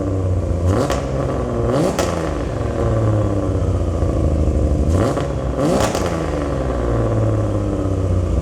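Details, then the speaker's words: Turbo Barra-swapped R33 Skyline, first start, no radiator, alternator or drive belt fitted, on jump pack: loud steady idle with two clean rev blips; straight exhaust louder than expected, muffler may be added. "it's louder than I thought it was going to be which uh take it as you will"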